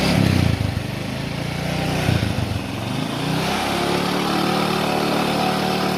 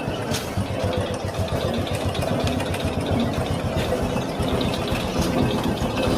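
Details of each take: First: Honda Supra X 125 motorcycle after clutch-side repair: a few throttle blips then a steady, even engine note with no metallic scraping; smooth again, the earlier grinding gone. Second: Honda Supra X 125 motorcycle at idle: busy metallic rattle and rough scraping from inside the clutch cover, louder and harsher when ridden; suspected clutch housing or clutch bell fault before teardown.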